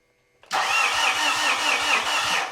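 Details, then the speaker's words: 2013 Mitsubishi Fuso FG, 4P10 diesel no-start, just after starter swap: starter churns with slow compression pulses about five a second, no catch; cranking slower than before but turns over. "There we go. Doesn't sound like it's cranking quite as fast, but at least we can turn it over and that should let us check to see if we're building fuel pressure and we can muck around with the injectors again."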